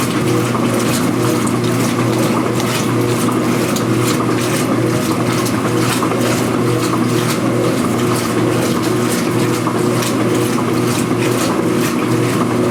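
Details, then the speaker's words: Speed Queen washer agitating after a repair of its earlier loud agitation rattle: a smooth back-and-forth water swish with no rattle or knock, with the microphone at normal distance near the camera. It now runs quietly. "in a normal distance now I have the microphone near the camera nice and quiet especially when there's some Suds in SHO like this"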